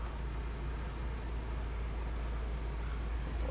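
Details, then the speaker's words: Chery Tiggo at cold idle with air conditioning switched on: rapid cricket-like chirp about twice a second from the worn outer rubber of the crankshaft harmonic pulley, not the Poly-V belt or tensioners. "Tá vendo esse barulho galera normalmente pessoal troca a correia Poly V achando que o problema é a correia Poly V Troca os tensionadores mas eu quero te falar que o problema tá aqui ó Nessa polia"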